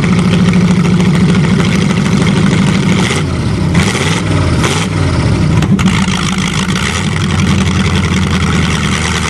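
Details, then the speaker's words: Hydrolocked Chevrolet, engine almost seized after 7 months with water in it, cold and given more choke: it keeps running with an uneven, hunting idle and a few revving blips. Cold running on choke. "little more choke when it's cold"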